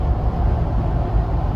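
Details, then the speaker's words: 2021 Ford Bronco 2-door hardtop at about 75 mph, camera raised toward the roof: a steady deep roar of road and tire noise from off-road tires, no whistling and no rhythmic thump; normal. "no whistling uh which people are complaining about with the soft top i'm not hearing that with the hardtop at all definitely getting some road noise a lot of tire noise"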